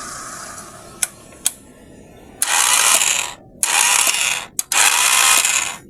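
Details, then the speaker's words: Motorcycle with new battery, key start attempt; two sharp clicks then high free-whirring bursts with no engine turnover, something only spinning inside, battery strong; starter spins without cranking engine. "Hindi umi-start mga kaibigan, para may umiikot lang sa loob. Hindi gumagana para may umiikot."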